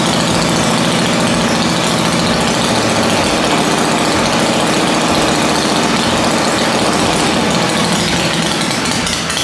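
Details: Dale's rigid Shovelhead chopper being reassembled, running after fuel priming (old spark suspected): loud V-twin with uneven, stumbling beats about three a second, lumpy and irregular rather than a clean lope; ignition timing is out.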